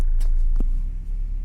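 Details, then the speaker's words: Car with a BRC Sequent LPG system, idling on LPG after replacing the faulty cylinder 4 gas injector and clearing ECU errors. Cylinder 4 fires again: smooth, even idle with practically no vibration; normal idle. "Sì, il suono è molto pulito, vibrazioni praticamente assenti, diciamo che adesso l'iniettore è"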